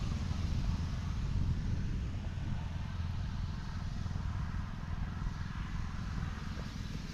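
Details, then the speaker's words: Repaired 79cc Predator 1-inch water pump engine pumping warm rainwater through a garden-hose fitting under load: low, even thrum at constant speed with no knocks or surging; runs fine. "So, I could just run a sprinkler out here. As long as that pump's got gas, she'll keep running hopefully."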